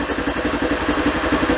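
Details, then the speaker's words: Polaris Ranger small petrol engine after tightening the timing chain, which ticks loudly when it gets loose: an even, steady idle pulse with no sharp top-end ticking, much quieter than before. "Really should have done it before and after, because this thing was ticking so loud. That's how I know when it gets loose. It just starts ticking. Sounds bad. Sounds like you got a tick in the motor, but it's just the timing chain."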